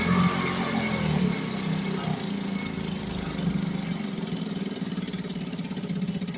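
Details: 1963 Gale-made Sea King 3hp single-cylinder outboard after a new water pump rotor, fired up once more; putters evenly and settles into a steady, regular idle beat with no knocking, a healthy idle.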